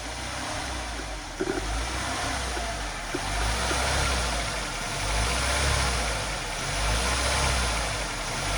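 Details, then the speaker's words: Nissan N16 with QG16 petrol engine: idle rises and falls every couple of seconds, surging hunting idle caused by tampered IAC wiring that led to a burned ECM. "Hope you heard that surge idling condition on this Nissan car."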